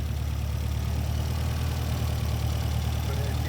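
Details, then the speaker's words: 1973 Volvo 1800 ES four-cylinder just after rebuild (new cam, solid lifters, cam and crank bearings; 150 psi compression): smooth even low idle, steady beat, no knocks or ticks; normal idle. "as you can hear it, it's one of the best running Volvos that I've ever heard of. You know, after being rebuilt, it's just so smooth."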